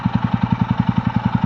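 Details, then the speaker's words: TVS Ronin 225 single-cylinder bike just back from a week at the service centre for an engine noise problem, idling after a 2 km ride in the morning: an even, steady thump about eleven beats a second with no ticking or knocking; owner hopes it is normal. "I hope यह तो normal sound 2 kilometre चला कर आया हूं"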